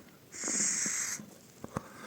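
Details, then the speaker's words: Vaporesso XROS Mini pod cartridge, recently bought, which had been leaking from below: a short airy wheeze with a thin raspy hiss on draw after treatment; owner thinks it hasn't fully dried or soaked in yet; no leaking now; fix is maximum-power puffs. "Well, what do I do in such cases, yes, sometimes there is this wheezing in the cartridge."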